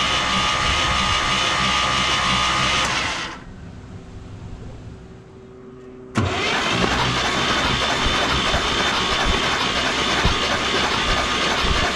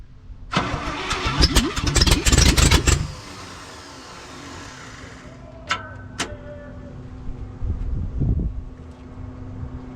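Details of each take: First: 1968 International 1100C truck, engine from a 1976 Scout II, cranked with spark plugs out to expel Mystery Oil from cylinders: fast even cranking bursts about four beats a second, no compression, stopping and restarting. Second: 1968 International 1100C truck with engine from a 1976 Scout II, first start in years on ether: starter whirs, engine catches and runs unevenly a few seconds then dies back; rough, a little smoky from Marvel Mystery Oil, not yet tuned.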